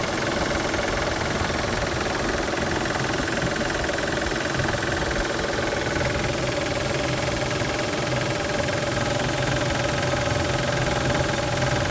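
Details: A 1999 Isuzu VehiCROSS with 127,000 miles idles with a steady knock, three to four a second. The timing belt tensioner had been replaced a month earlier; the cause was a collapsed timing belt tensioner and water pump, and it runs fine after repair.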